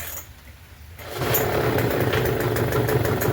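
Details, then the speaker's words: Troy-Bilt TB272V two-stroke leaf blower, found used, on half choke without throttle: quiet second, then it catches and runs ragged and uneven, struggling to stay lit; hard starting, cause not confirmed. "Now it wants to run. Okay. Click it over the two the half choke. See, that's all it does."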